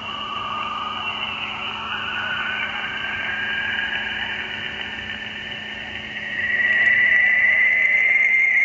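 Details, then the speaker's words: Amateur radio receiver tuned to 3.846 MHz on the 80 m band: steady hiss with a thin whistle sliding in pitch and swelling, recurring roughly every 10 minutes all morning; sweeping RF interference, possibly industrial RF heating. "that is the signal that is sweeping across the amateur radio 80 meter band it's been doing it all morning"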